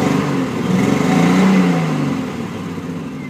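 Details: Triumph TR6 six-cylinder stumbles as it blips and settles, with an uneven, lumpy exhaust note: engine misfire.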